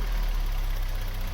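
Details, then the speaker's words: Vauxhall Cavalier GL, 1.8 litre SRi 130 top end, 45,000 miles, after fitting injectors and airbox: smooth, even low idle hum with no stumbles or skipped beats; firing cleanly, misfire cured. "Right, that's the injectors fitted, everything's bolted back together. Let's see, maybe this time if it'll go without misfiring."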